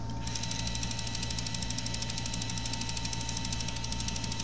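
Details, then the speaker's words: Bose Wave Radio 3 CD changer with a stuck CD: steady light clicking, about three per second, as it fails to take the disc; CD changer gear with one stripped tooth slipping. "the noise is come from that piece over there. Is it cracked over there? Oh, look this gear. So the gear is missing one gear. Now it's like it's yeah, the gear is missing one tooth."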